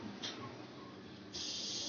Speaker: Sound வருதா? இந்த மாதிரி சவுண்ட் வந்துச்சுன்னா நமக்கு கேஸ் கரெக்டாக வருதுன்னு அர்த்தம்.